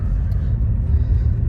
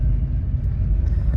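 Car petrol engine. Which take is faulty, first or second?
second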